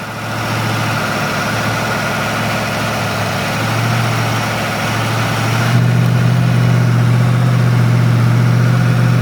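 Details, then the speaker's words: Rebuilt Ford 302 V8 on first run, weak battery, running rich with about 17 inHg vacuum: a deep idle with an uneven, lumpy beat and occasional skipped pulses; the engine is missing at idle. "Misfire, I can hear it missing. Hang on, I'm running out of idle. I don't want that going too low."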